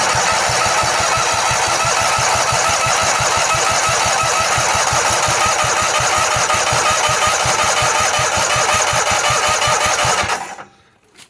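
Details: 1918 Dodge Brothers car cranked with EverStart 1000 A jump pack: strong, fast, even cranking about four turns a second for ten seconds, then stops; starter turns old engine over healthily.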